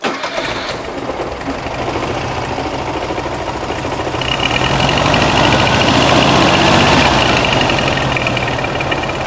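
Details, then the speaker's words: 1969 VW Beetle air-cooled 1600cc with dual 34 carburetors, new exhaust, freshly installed; idle and mixture screws just set: catches, climbs to fast idle, settles into fairly even beat; some shake, unknown engine internals, ratio rockers; normal idle. "Sounds good. I'm all right with it. It does have some shake, but like I said, I don't know what's in I don't know what's in the engine."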